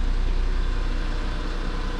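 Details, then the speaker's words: 1999 Mitsubishi Minicab kei truck just after oil change (3 quarts 5W-30, new K&N H1008 filter): low even idle rumble with steady beat, no knocking or ticking; runs smoothly, owner says sounds happier with new oil. "Let that new oil circulate a little bit. Yeah, this is good. The engine definitely sounds happier with new oil."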